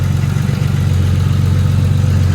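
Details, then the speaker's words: Nissan R34 Skyline, first start after a rebuilt engine was installed; steady idle with a constant droning whir over the engine note, from the power steering pump being low on fluid. "that noise you're hearing is the power steering it doesn't have enough fluid"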